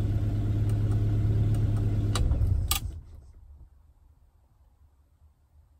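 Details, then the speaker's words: Rover P4 80 after fuel-solenoid diagnosis for exhaust backfire at shutoff: engine warmed slightly but not to full temperature, steady even idle switched off and dies away quietly with no exhaust bang, a clean shutdown without backfire. "bang so i think we've solved the problem of the backfire"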